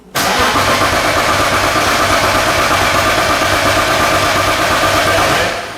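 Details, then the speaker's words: BMW E36 with a turbocharged M52B28, before its first start on the new turbo setup, oil in: cranking with the power switch off to build oil pressure. Steady, even starter churn with no firing and no knocks; normal cranking. "And now we're going to crank it over. Yeah, we're going to just build up some oil pressure, so we'll crank it over without any power."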